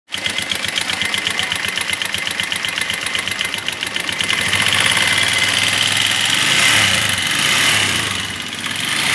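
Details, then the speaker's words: Minerva MX 150 motorcycle (old CBR model), a flood victim left standing for years then rebuilt elsewhere: rough clattery engine with rapid ticking, metallic clacks and a thin whine rising with revs; rust marks on the bore, which was suspected not to be rebored. "jadi seperti tadi ya suara mesinnya terdengar teman-teman ada suara tek tek tek tek tek ada suara cekrek ada suara seperti sing sing sing nya"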